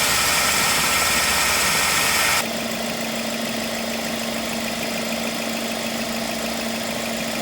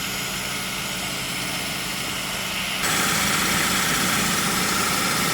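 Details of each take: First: Ford Focus, 93,905 km, about 10 years old, idling with AC on, outside 31°C and cabin 23°C, before repair, with oil leaking at the compressor fitting: a steady hum near 220 Hz starts when the AC engages; noisy AC compressor, refrigerant top-up planned. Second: Ford Focus, 93,905 km, 10 years old, after AC restoration with original compressor (lines flushed, O-rings, expansion valve and drier replaced): with AC switched on the compressor runs with a quieter, smoother hum and hiss, no knocking.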